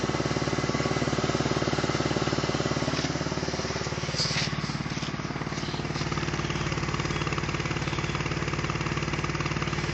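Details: BMW E46 330Ci at idle: steady idle with a rapid ticking puff about three times a second over the exhaust; possible small exhaust leak, not confirmed.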